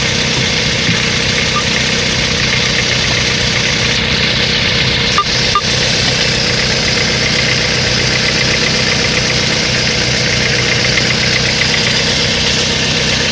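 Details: Mitsubishi Lancer X 1.5 engine at idle: slightly uneven tapping under the running noise. Engine knock, cause not identified.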